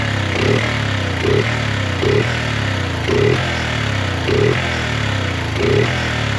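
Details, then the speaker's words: 1986 Honda ATC 125M three-wheeler, single cylinder, carburetor leaking from drain screw: steady idle with a light knock about once a second, runs evenly; nothing alarming. "We are just rocking the '80s Honda and we love it. They they still start up and run."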